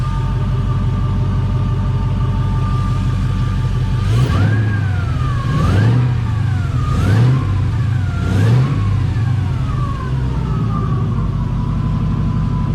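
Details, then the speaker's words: 1988 Firebird with LS 5.3 V8 swap, warming up with solid oil pressure: smooth idle with quick throttle blips and no valvetrain tapping; earlier lifter tap gone as lifter pumped up; normal idle. "I'm happy with that the taing gone that means that lifter pumped up that's awesome"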